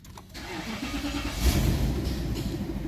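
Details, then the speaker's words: 2010 Nissan Patrol eight-cylinder petrol, previously cranking but not starting, no fault codes stored: brief crank, then the V8 catches quickly and settles into a steady, low, even idle with no misfire or stumble; normal start. "ठीक है जी देख सकते आप गाड़ी बिल्कुल clear है"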